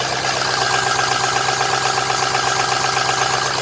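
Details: Ford Super Duty 6.0 diesel, first run after oil cooler job, turbo charge pipes reinstalled: steady diesel idle with even injector clatter, no misses or stumbles; no oil leaking, engine running healthy.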